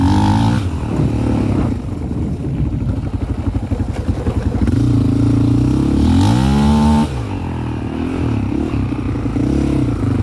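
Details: 2001 Yamaha Raptor 660 single-cylinder ATV with Hotcam stage 2, cam timing not quite perfect, safety switches bypassed, same with old and new carbs: stumbles and pops irregularly at low rpm, then pulls cleanly when revved; low-rpm misfire.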